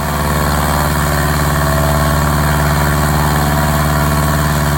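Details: 1946 Piper J-3 Cub at low idle on its first start after a four-year restoration. Lines were primed, temperature was just over 100, and mags and carb heat checked good. Steady, even throb with no misses or knocks; normal healthy idle.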